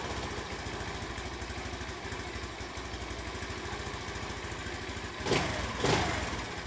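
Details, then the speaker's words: Honda C90 with a replacement OO Racing 19mm carburettor, after cutting about a quarter inch off the throttle cable and adjusting the throttle-end adjuster: even, steady idle with brief blips, throttle now hitting its stop, normal. "I cut about quarter of an inch off that cable. Got plenty of free play now. In fact, I had so much I had to adjust this adjuster here up by the throttle. I can hear it's hitting the stop."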